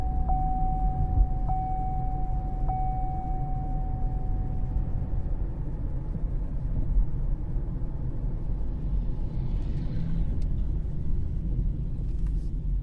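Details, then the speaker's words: 2013 Cadillac CTS 3.0 RWD on road test after differential repair (previous 40–45 mph vibration): steady even road rumble, no throb or drone rising with speed; quiet driveline. "i just can't believe how quiet is hopefully you guys could hear the drive shaft"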